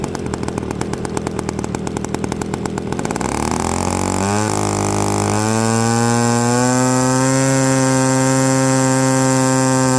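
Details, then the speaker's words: Byron Christen Eagle RC model plane with Quadra 50 gas engine, first startup after 25+ years sitting; rough cranking buzz from a starter on the still-tight motor catches, then a clean climbing tone settles into a steady fast drone: runs evenly. "Listen to that. 30 years she's been sitting. She fired right up."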